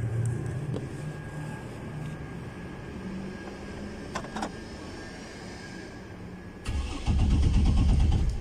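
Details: 2009 Chevrolet Trailblazer, crank but no start with the PCM fuse always blown: starter cranks in a steady low churn and the engine never catches; cause found as a grounded fuel pump, positive and negative shorted.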